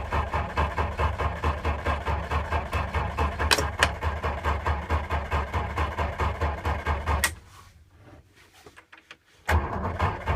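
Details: 6-volt system: slow, steady starter chug at about two turns a second for seven seconds without catching, a pause, then cranking again; hard starting with prolonged cranking.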